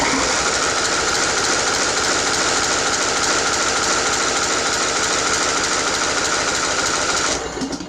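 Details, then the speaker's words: Craftsman riding mower, Briggs engine with pulse-line fuel pump, bought for resale with prior starter problems: harsh uneven buzzing at half throttle on full choke, rough and struggling; owner suspects air being sucked at a loose fuel filter. "Well, that doesn't sound promising. There we go. Just slowly easing the choke in."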